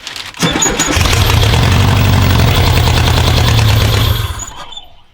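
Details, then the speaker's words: 1984 VW T3 bus with 2.5 engine swap, first start after custom wiring on a makeshift ground: short crank, catches and runs steadily about three seconds then dies; engine starts. "she runs all right cool it runs ha ha excellent"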